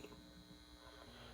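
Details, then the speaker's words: ProLight 13 W reflector PL adapter with a Sylvania 2-pin preheat PL-C fluorescent bulb starting up: quiet steady mains-pitch hum with no buzzing or flicker; normal magnetic ballast hum. "very nice preheat action and also you can hear the ballast just humming away"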